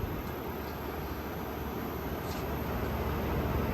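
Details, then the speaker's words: Frigidaire Gallery GHWQ103WC1 10,000 BTU inverter air conditioner, compressor believed GMCC single-chamber rotary: low soft steady hum and airflow hiss, no clicks or squeal, 17° split, 49° output, head pressure still building; compressor very quiet, normal. "that 17° split that's pretty good this thing is absolutely freezing 49 is still building head pressure compressor is very quiet"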